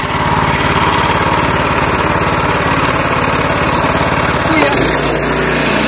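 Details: Small single-cylinder gas engine on an electric-to-gas golf cart conversion, about 12.5:1 drive ratio, just rope-started with choke: fast, even chugging beat with no misfires or stalling; it runs fine.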